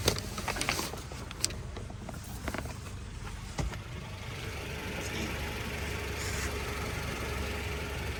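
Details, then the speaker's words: Honda Civic just after exhaust repair at a muffler shop: soft, low, even idle under a few handling clicks, with no blowing or rasp; the exhaust is now quiet. "all right y'all the exhaust is done let's take a look at this and see how well they did with the exhaust it's like a brand new car y'all hear how quiet that"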